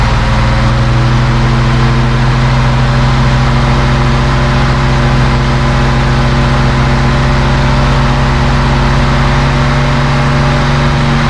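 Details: 1971 Mercedes-Benz 280 SE (W108) six after its mechanical fuel injectors were cleaned and bench-tested: steady, even idle with a smooth rev blip, no missing; a little smoke, possibly running slightly rich; sounds good.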